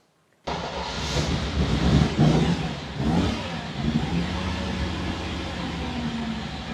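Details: Ferrari 365 GTB/4 Daytona Spider, classic V12, started up on all 12 cylinders: it fires, flares, then settles into an uneven, lumpy idle with a stumbling exhaust beat. The misfire is felt through the exhaust, and exhaust temperatures differ widely between cylinders.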